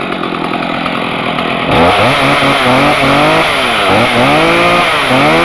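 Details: Stihl MS250 chainsaw with 18-inch bar, cold start on choke, chain brake on: fires quickly, then revs up and down cleanly with sharp rising and falling buzz, no misfires. Normal healthy cold start.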